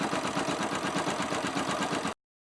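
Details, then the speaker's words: Yamaha YBR 125 single-cylinder fitted with a 150 cylinder kit, idling after the head was reinstalled and the cam chain retimed to the marks: fast, even light ticking from the top end. The cause is not yet identified. "Non, bah, le problème c'est qu'on entend un bruit de cliquetis au moteur."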